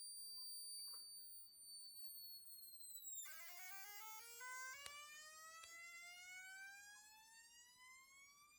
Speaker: It's only pulling 700 milliamps. You hear it? All that current is going into the filling the coil up with its capacitance.